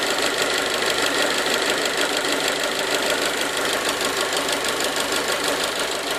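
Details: 1.4 T-Jet 155 hp engine at idle: fast, fairly even ticking knock about three beats a second over steady idle, with bright mechanical clatter; engine knocking noise, cause unclear.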